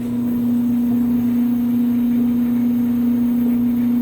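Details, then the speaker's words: Clothes dryer just started in winter on timed dry with bed sheets: loud, steady low drone, even with no knocks. Noisy only when cold, quietens once motor warms up; seasonal quirk, worst in winter, cause unknown, never affected performance. "running nice and loud today so make a perfect comparison runner just kicked on all right so it's running nice and loud i'll come back when uh it's warmed up a little"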